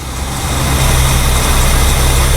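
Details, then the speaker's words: 1969 Mercury 390 Ford FE V8 after pinching off the vacuum line to the rotted, unfiltered power brake booster: a deep, even idle with a steady beat and no hunting or stumble; the booster vacuum leak is confirmed as the cause of the rough idle. "and now she's smoothing it right out"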